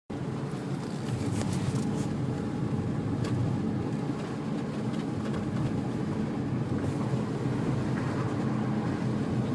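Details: 2003 Infiniti G35 coupe braking: sharp irregular clicks from the rear passenger side over steady road rumble, worsening over time; pads and calipers looked normal, owner wonders about bearing or spindle, cause never found.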